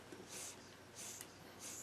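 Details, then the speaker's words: Electric unicycle (Monster) tire, deflated after losing pressure on a ride; squeezing the tire at the valve stem gives three short puffs of hiss as air escapes, and the owner suspects the tube came apart or loosened at the valve stem rather than a puncture. "I don't think you hear that but you can hear the air coming in and out so I have a feeling that this stem just left loose"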